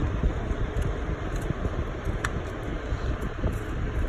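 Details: 2001 Honda Civic after fitting the missing alternator bolt that caused belt squeal: steady engine run with an even low hum and no squeal or chirp; belt drive healthy.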